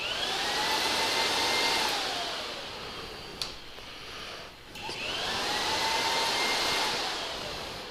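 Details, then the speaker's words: 2009–2014 Yamaha R1, diagnostic mode item 51 radiator fan motor relay test, engine off: smooth whirring motor winds up, holds a steady hum, dips and returns; fan relay and radiator fan both working. "so now we know the fan relay and the fan both work as well"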